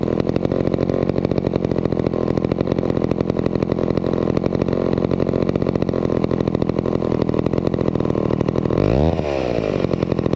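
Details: Vintage McCulloch 250 chainsaw after restoration, running: a fast, even two-stroke crackle holds steady, with one quick throttle blip near the end. It purred along and ran fairly well. Normal running.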